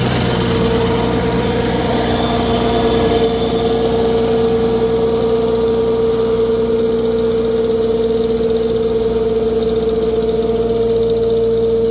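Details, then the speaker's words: 1948 Farmall C tractor, former parade tractor, on a dyno, being warmed up again: steady idle with sharp ticking puff about three a second; owner says cracked exhaust manifold, previously JB-welded. "Yeah, you can really hear it that it's the exhaust manifold's got a crack in it. They tried to JB weld it."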